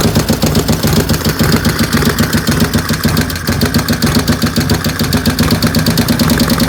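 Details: 95-inch V-twin with 510 cams at idle. A fast, light tick rides over the lumpy cam beat; the cause of the ticking is not clear.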